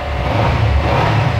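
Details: Used Kawasaki Z300 twin-cylinder, 2017, about 12,939 km: short deep rising rev, smooth and even without rattles or misfires; healthy twin pulling cleanly.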